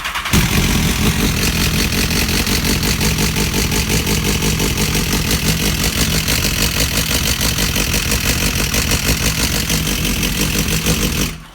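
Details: 2010 BMW S1000RR, 22,000 km, no engine light: busy, fast metallic ticking rides over a steady idle throughout; the noise is unchanged after fitting a manual cam chain tensioner, and the source is still unknown.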